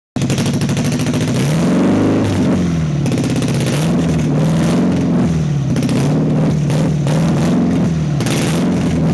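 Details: 1992 Nissan 240SX: idle hunts, its pitch rising and sagging every second or so with uneven stumbles; a rough, unsteady idle.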